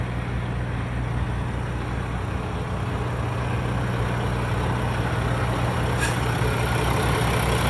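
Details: 2016 Peterbilt 579 with a rebuilt engine and replaced DPF, VGT, head and radiator: steady, even low diesel rumble at idle with no knocks, misses or surging; idling smoothly and healthy.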